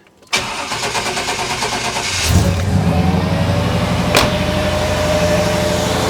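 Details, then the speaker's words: GM truck engine, cold start before fan clutch replacement: engine catches and settles to idle with a steady whooshing roar as the fan pulls much air across the radiator; fan clutch too tight when cold. "I want you to hear there may be a slight Roar from the fan as we Crank It Up just because the fan is a little bit tight"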